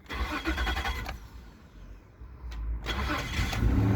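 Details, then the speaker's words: 2000 Isuzu Trooper 3.5 with replacement engine, 100,000 miles, long no-start fixed by correcting an improperly grounded cam: starter churns briefly, then the engine catches and settles into a steady low idle without misses. "now it's running after like two extra months working on it between this and other vehicles"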